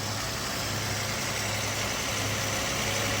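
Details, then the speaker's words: 2007 Toyota Solara 3.3L interference engine, first start after broken timing belt replaced, no timing cover, drive belts or coolant: fairly even idle, steady low beat with hiss, no obvious misfire; normal idle, possibly slight miss. "oh wow she's running I don't even feel a misfire"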